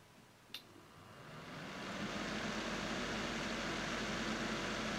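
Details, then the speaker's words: Cooling fan of the power supply running an old TV backlight (CCFLs swapped for LEDs) used as a room light panel: a click, then the fan spins up over a second to a steady airy whir; works fine but too noisy. "yes all the while I have the light on I have the noise of this fan in the background so I think a less noisy power supplies in order"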